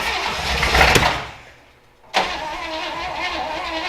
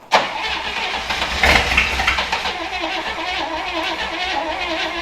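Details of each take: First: Willys Jeep Wagon after 10+ years sitting, fed gas into the carburetor: cranks and fires roughly, dies, then cranks without catching; timing issues suspected, firing order checked. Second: Willys Jeep Wagon engine after 10+ years sitting, float bowls filled with gas, air cleaner off, after firing order check and timing advance for suspected timing issues: uneven cranking, catches around six seconds, settles into steady run with brief blip.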